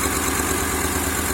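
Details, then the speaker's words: 2003 Honda Accord V6, first start after engine swap (previous engine had rod knock), oil seen in cylinders by borescope; uneven, lumpy shaky idle with stumbling exhaust beat, a cylinder dropping out; misfire. "So presently the car is running, but obviously missing on some cylinders."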